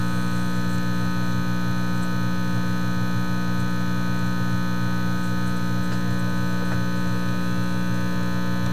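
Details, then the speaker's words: Teletone 67-600E record player amplifier, still humming when connected straight after a circuit change meant to remove the buzz: a constant low hum with a buzzy edge, persistent mains hum, and the owner feels he is off in the wrong direction. "it still hums hey what's that telling way off in the wrong direction"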